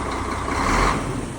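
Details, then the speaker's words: KamAZ NEO truck diesel idling roughly and unevenly with a dull knock from one misfiring cylinder, suspected faulty injector; cylinder balancing showed the fifth cylinder standing out. "Камаз не работает один цилиндр потраивает"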